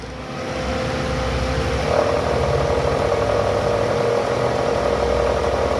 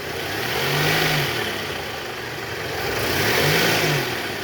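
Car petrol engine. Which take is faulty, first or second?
first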